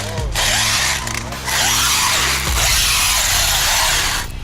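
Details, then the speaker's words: Traxxas X-Maxx RC truck under power: harsh continuous metallic grinding over motor whine, dipping with throttle; both screws on top of front diff case backed out, letting diff move and shred gear teeth. "Here's the culprit of all that noise we were hearing in the video. So both of these screws had backed out on the top of the front diff case. Under power, that let the front diff just move enough that it started to shred the teeth on these gears."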